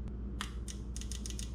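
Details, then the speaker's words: Injector Dynamics 1000cc fuel injector for a stock 4.3L V6, bench-pulsed while being cleaned with carb cleaner sprayed backwards through it. Sharp, crisp ticks, about six a second, with no hum between. Normal clicking: the injector opens cleanly and is not stuck. "sure it's clicking and then give it a good couple sprays it's a little bit harder to seal on this smaller metal part of the injector so it leaks a little bit"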